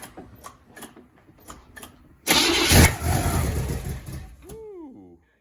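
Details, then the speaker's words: Spyder engine after a broken pushrod and a nut dropped into the motor: cranks, catches and runs very rough for about two seconds, needing high revs, then a falling whistle or whine as it dies; not backfiring, so timing judged not 180° out. "um timing is not 180 degrees out because it's not backfiring the way that it normally would i've done that before i know what that sounds like but it is running really rough you got to rev it pretty high"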